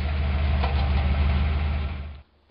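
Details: Carbureted Ford 302 V8 wagon just after valve adjustment (rockers loosened until clacking, tightened until quiet, then a quarter turn more): steady, low idle with no lifter clatter before shutoff; valve lash quiet and even, normal idle.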